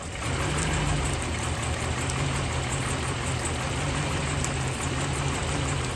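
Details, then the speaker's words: 1999 Chevy Silverado with junkyard 5.3 V8 and BTR stage 2 cam, first start in freezing cold after priming: heavy low rumble with an uneven, wavering idle beat that never settles; running rough, cause still unknown. "thank you oh it ran rough but it ran so I'm gonna go over some things real quick and see if we can get it to run right"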